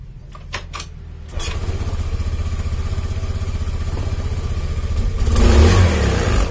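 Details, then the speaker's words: Honda Beat FI scooter with fuel in the tank, before repair; starts, then idles with an uneven chug, rpm surging up and dropping back, and it dies when throttled; weak fuel pump pressure, traced to the battery. "Oke, jadi kondisi mesinnya itu nggak stabil kawan ya. Tuh, RPM naik turun stasioner atau langsamnya."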